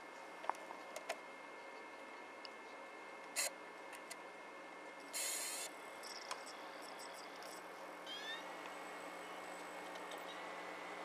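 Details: SV2000 VHS/DVD recorder combo with a steady motor hum, scattered sharp ticks and short whirring bursts from the mechanism; a fault said to be common to these units, cause unclear.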